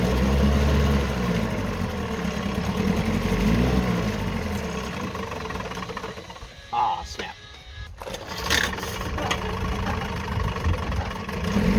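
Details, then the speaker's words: Two-stroke outboard motor on oil-gas mix, started only at full throttle, now running cleanly: even steady buzz with regular beat, no misses or knocks. "And now [Applause] now it runs just wonderfully."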